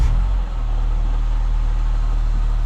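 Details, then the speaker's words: 2010 Mini Cooper idling with drive belt/tensioner disengaged so water pump stops: steady, low, even idle with the noise gone, pinning it to the water pump or tensioner, both to be replaced. "that water pump shouldn't spin so if the noise is gone it's one of these two cuz they're going to stop spinning okay let's see"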